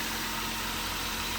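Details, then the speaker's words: 2007 Toyota Avanza Type G VVT-i engine at idle: steady, even, smooth hum with no knocks, misses or significant vibration; exhaust not smoking, engine sounds healthy. "kalau maksudnya halus teman-teman terdengar maksudnya halus dan juga tidak ada getaran yang berarti"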